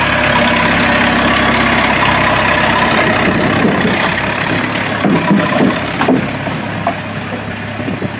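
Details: Mazda B1800 / Ford Courier pickup with VW diesel swap, started after about five months sitting, no hood, awaiting custom exhaust: loud, steady diesel idle with even low clatter about three to four beats a second; normal idle.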